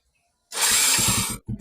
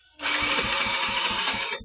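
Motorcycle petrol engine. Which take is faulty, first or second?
second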